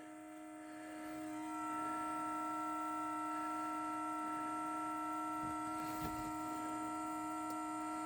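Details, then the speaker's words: Parked car, engine not yet started, at minus three degrees: a steady horn-like droning tone with unchanging pitch; occurs only in cold, said to be exhaust-related, unconfirmed. "i have no idea what that is but it's only happening because it's cold out here it's minus three today they tell me it has something to do with the exhaust something something something i don't know"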